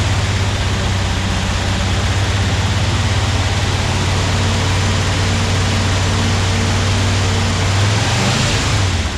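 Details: Porsche 356SC (90 hp) first start after an engine rebuild: a steady, even low idle rumble with no knocks or misses; healthy idle, though fuel leaks at the fuel lines on both sides were found.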